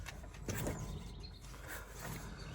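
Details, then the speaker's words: 2017 Ford Transit Connect 1.5L diesel, 5-speed manual, raised front wheel spun by hand: rough gritty rumble and tightness from a worn wheel bearing, not brake noise. "I don't think that's brake noise and it's tight as well"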